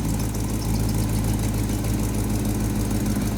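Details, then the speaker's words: C6 Corvette after the dirty serpentine belt was sprayed: a steady, even idle with a low hum and no squeal or chirp. The belt noise is gone. "Pat, you might just be a genius. I am a genius. The belt's dirty. I didn't hear no squeaking. I didn't hear no squeaking."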